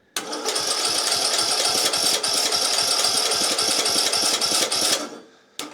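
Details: Craftsman YT 3000 lawn mower, cranked directly at the starter with a shot of fuel and air blocked off: fast, uneven cranking about five seconds, never fires; owner suspects the carburetor is not letting fuel in; cranks but won't start.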